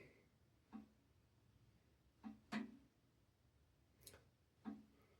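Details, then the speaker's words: Blackstone 22-inch E-Series electric griddle warming up for the first time: five sharp irregular clicks as the heating elements switch on, normal, with a little smoke coming off. "You can hear some clicking in there. And that's just the heating elements being switched on for the first time."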